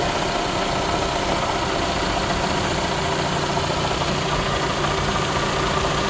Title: Rattle noise 2017 camry se, any idea what is making the noise? Engine mounts & belt tensor replaced!